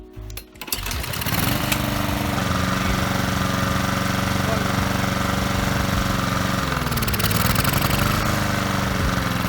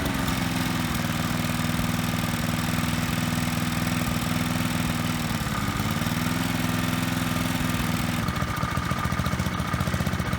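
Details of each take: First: Small lawnmower engine surging/hunting, speed rising and sagging every few seconds instead of holding steady; runs unevenly, rattles under load and dies; carburetor cleaner sprayed into the intake after warm-up didn't help, so a tiny hole in the carburetor that might be blocked gets cleaned. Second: Lawnmower petrol engine after fixing surging (governor lever spring replaced with wire, cloth taped to flap): holds a steady, even speed, brief clatter at the end.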